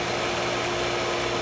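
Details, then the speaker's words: Pool pump just started while checking for air leaks at the pump lid: loud steady whirring hum with a slight hiss as a little air purges out, normal running. "But you notice when I fire this up, it's gonna get a little loud, okay?"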